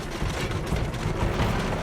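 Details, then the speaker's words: WWII-era aircraft in flight, right (number two) engine running rough: heavy cabin engine drone broken by dull thumps as it backfires badly enough to shake the plane; engine to be shut down. "The backfiring is so bad that it rocks the plane. Got a nasty shake."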